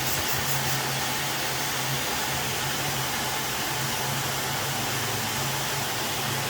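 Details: Alfa Romeo Spider idling with a constant airy hiss over steady hum; exhaust still leaking at a joint after exhaust removed, cleaned and resealed with RTV, needs more RTV.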